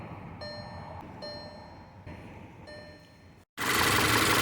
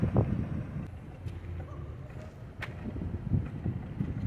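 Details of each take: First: 2013 VW 2.0 TSI idling quietly and smoothly with no stumble under dashboard chimes after faulty ignition coils were replaced; the earlier misfire and violent shaking are gone and the check engine light no longer blinks. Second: 2013 VW Tiguan 2.0 TSI 4Motion idling with uneven, lumpy misfire and irregular low thumps, check engine light blinking; caused by failed ignition coils, fixed by replacing coils.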